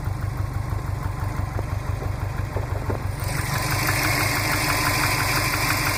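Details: 2005 Saab 9-2X Aero, 119K on engine, stage 2 COBB OTS tune, warmed up at idle: steady fast tapping over low rumble, unchanged; owner suspects piston slap, data logs show no knock. Ticking at idle.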